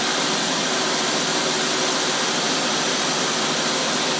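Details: Carbureted engine with Holley tpot carb on test, choke off, about 95-degree ambient, 3 psi fuel pressure, after several minutes running: steady, even idle with no misses, pops or knocks; healthy.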